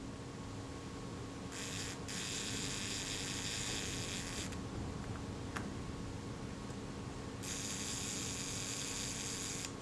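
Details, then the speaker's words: Kodak Retinette type 022 shutter during servicing, before cleaning. Two even, fast buzzing runs of the speed train return to rest without catching; normal shutter speed train operation. "let's try the speed train here and that's returning to its rest position without any problems either"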